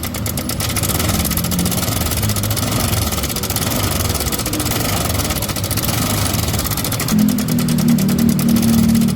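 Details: Honda Vario 125 scooter at idle, throttle kept low to avoid further damage: loud, rough idle with a loose rattle about four times a second over the engine drone; the cam chain (keteng) area is to be checked first.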